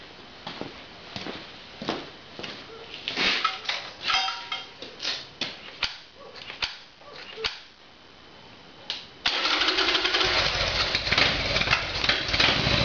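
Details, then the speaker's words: Harley-Davidson Evolution Sportster, carburetor problem: cold start on choke with irregular clicks and cranking, engine catches about nine seconds in, then rough busy cold idle; sounds much better than before. "Okay, so we'll go for a cold start. There should be some backfiring while it's cold. I'll use the choke and we'll see how we"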